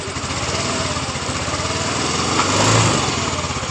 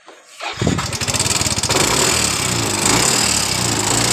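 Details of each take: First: Yamaha Mio S scooter that had a rattling, sewing-machine-like engine noise after once running out of oil, after repair, listened from the right side: quick even putter with no ticking or rattle; normal idle. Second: Yamaha Mio S scooter: starts and settles into a fast, light metallic ticking over the idle; suspected slack timing chain or worn tensioner, possibly from running out of oil.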